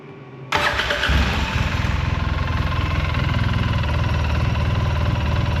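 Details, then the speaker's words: 2008 Polaris Sportsman 800 EFI after installing a new Moose Racing fuel sending unit: it catches within a second and settles into an even, steady low idle with no stumbling. Normal start and idle, with no fuel leaks top or bottom. "yeah she runs really good there's no leaks coming out of the top here no leaks coming out of the bottom"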